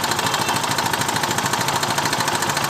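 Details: Motorcycle engine at idle: quick, steady light metallic ticking knock over idle from slack cam chain; timing chain tensioner knock.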